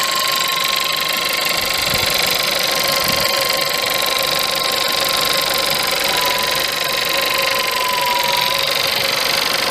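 Cold idle carries a busy metallic rattle up top over a faint steady whine, with no deep knock; a cold-start rattle, cause unknown.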